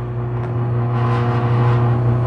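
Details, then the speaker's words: Hobart MG2032 8.5 hp commercial meat grinder mixer on a three-phase converter, gear worm fitted with new parts, running in mix mode with paddles turning: even steady low hum at constant pitch, no knocks or grinding, converter humming. "First, we can turn it on mix, and now the paddles are just turning."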